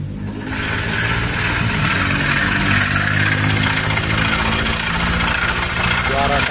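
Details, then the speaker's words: Honda Vario 150 scooter engine at idle: rough, clattery knocking beat over steady idle, very harsh, like it is falling apart inside; engine then stripped, connecting rod knock from worn, loose con rod and scored piston. "kasar-kasar parah dari sini merembes udah kayak rontok di dalam mesinnya"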